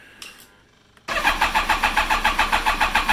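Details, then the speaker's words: BMW K1300S after sitting, fuel very low: starter spins the engine steadily at about three compressions per second but it never catches; spark present and pump heard, and it ran briefly on starter fluid, so no fuel reaching it. "now I do have spark I don't have fuel because I did spray some just to see what happened but some starter fluid spray in here and it's it turned on real quick"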